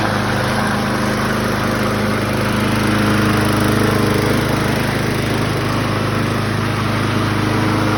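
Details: 2004 Craftsman 917.374430 mower, B&S 6.75 HP (125K02-0371-E1) primer engine, after repairs: small single holds a steady, even beat with no surging or hunting; running smoothly and healthy, normal.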